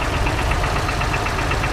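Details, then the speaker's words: 1936 Ford Model 68 V8 Fordor Touring Sedan idling while wiper runs: quick light chatter about eight per second, possibly the wiper; source not confirmed. "go ahead and do the wiper you can just hear that just a little bit of a little bit of a chatter"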